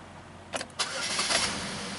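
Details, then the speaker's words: 2012 Buick LaCrosse after a transmission replacement with a hot no-start complaint, cranking briefly and then catching cleanly into a smooth, even idle after the codes were cleared; normal start with no codes. "start it up all right everything looks normal"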